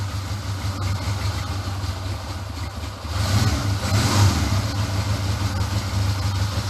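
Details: Honda CD200 Benly twin, first run: even steady low thrum, brief throttle blip settling cleanly, no misfire; no exhaust leaks, good pressure at the exhausts; normal idle.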